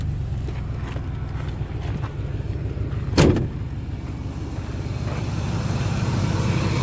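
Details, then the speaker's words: 2003 Ford F-150 ex-plow truck, just after a cold start: low, steady idle with a faint fan whir and no knocks or rattles; quiet and healthy, though the owner thinks a belt tensioner or pulley bearing is audible. "actually nice and quiet up here. Basically just hear the fan and I think a bearing on one of the belt tensioners or pulleys or something there."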